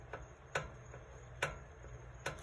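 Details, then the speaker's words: 2010 Mercedes W212 E63, front wheel rocked by hand in a quiet shop: light sharp clunks about once a second, rotor hitting pads; front hub bearing play, owner suspects cause of slight vibration at certain speeds, before adjustment. "So you hold the wheel up and one hand down, and you just kind of trying to give it a little wiggle, and obviously you can hear the rotor hitting the pads."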